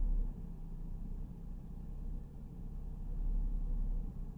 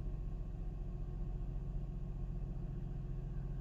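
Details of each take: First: Mercedes SLK 350 R171 petrol engine at idle: low rumble that swells and sags, a rough hunting misfire that smooths out under throttle. The cause is suspected to be an ignition coil or spark plug, and the coils get checked. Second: Mercedes SLK 350 (R171) petrol engine after replacing the faulty ignition coil for a misfire: low, steady, even idle with no stumble or shake, smooth start, much less vibration than before; normal idle.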